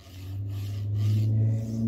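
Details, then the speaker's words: Formbot MGN9H linear rail carriage on a Voron 2.4 R2 3D printer kit: smooth when loaded on one side, steady low rasping growl when loaded on the other, like damaged balls grinding in the block; replacement block later removed the noise. "I can hear the ball here you can you hear it yeah that's kind of sound I don't know what it is"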